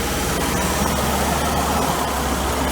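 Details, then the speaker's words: 1992 Mercedes 300E W124 M103 idling after head gasket job, AC on: soft, uneven clicks over steady idle from the heater control (mono) valve cycling on and off, believed normal. "here's your mono valve you hear that from what i've read that's normal that's supposed to be doing that"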